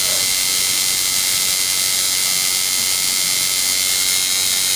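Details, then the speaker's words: Tattoo liner coil machine just tuned by the nickel-dime method to a dime-sized gap: a crisp, even, high-pitched buzz with a fast steady rhythm and no stutter, running normally and well tuned. "And once you get it tuned just like you like it, you can tell by the sound of it. Soon as you, you know, fire it up, you can tell whether it's tuned well or if you need to mess with it."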